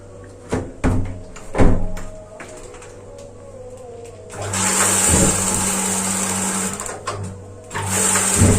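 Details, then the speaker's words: Gas water heater relit after a new LPG cylinder was fitted. The regulator's flow-limiting ball had locked and was freed by tilting the hose. Sharp igniter clicks give way to a steady burner roar: normal ignition, to be run about 10 seconds. "ya ini sudah bisa menyala tapi harus dipastikan dinyalakan sekitar 10 detik ya teman-teman"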